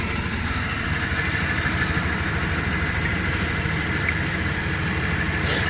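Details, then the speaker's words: 1997 Dodge Caravan LE with a brand-new coil pack and flashing check-engine light: rough, stumbling idle under a steady hiss; still misfiring at idle. "yeah still sounds like I got a Miss"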